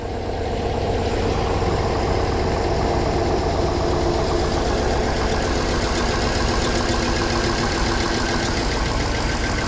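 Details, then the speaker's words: 2009 Hummer H2 called in as a crank no-start, jump-started with a dead battery, alternator suspected dead; check-engine light flashing. Loud, uneven low idle with a lumpy stumbling beat from a cylinder dropping out; misfire at idle. "Alright, the engine light's flashing, so it's misfiring."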